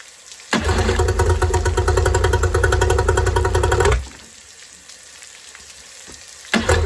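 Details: Yamaha two-stroke outboard after fixing oil leaking from the carburetor bottom: fires and runs a few seconds with an even steady buzz, stops and restarts, no misfire; normal running.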